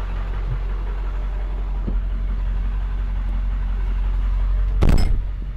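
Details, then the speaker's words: Ford F-250 7.3 Powerstroke diesel after fuel injector replacement to cure a miss, warm at operating temperature after idling 20-30 minutes: steady even low rumble, no misfire, sounding much better. "i can already tell you the truck sounds so much better after just having idle for 20 30 minutes it sounds good we're up to operating temperature everything looks normal"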